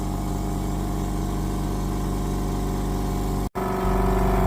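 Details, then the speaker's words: Parkside PSK068A1 240V 6L oil-free silent compressor, new, filling to full operating pressure: low, steady hum with even beat about four per second, no knocking or rattle — normal, quiet running. "So that's another aspect, nice and silent and very portable."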